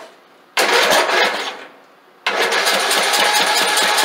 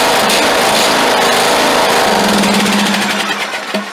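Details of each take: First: Craftsman LT2000 lawn tractor started after sitting for years: short crank, then fires, smokes heavily and runs loud and rough at a fast, unsteady pace because the seized governor and frozen throttle shaft and plate hold the throttle open. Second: Craftsman LT2000 lawn tractor, cranked for the first time in years after freeing a seized throttle shaft and plate: even, rapid firing at steady speed with no knocking, smoke or misses before it winds down; normal running.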